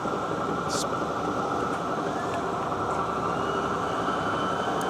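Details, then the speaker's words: South Bend 14-inch swing tool room lathe, 480V 3-phase: loud dense gear clatter and whir from the gear driving the lead screw, while the spindle itself runs smooth. "The gear that runs this screw is quite noisy. As you can hear,"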